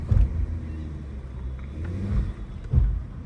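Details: 2005 Porsche Cayenne driven under normal acceleration with a PSM/ABS failure: irregular heavy low thumps and surging as stability control cuts in, caused by a failing rear right wheel speed sensor whose speed discrepancy can stop the vehicle entirely.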